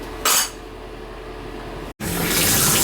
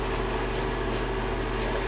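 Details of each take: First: Symmons tub/shower valve after repair with a new spindle and cap tube, packing left a little tight. Steady rushing water flow with no drips, squeal or chatter, and no longer leaking. Normal flow, no leak. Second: Symmons tub/shower valve with water on: steady hissing spray with a faint constant tone, continuous leak from the valve; cause suspected to be a loose part, not confirmed.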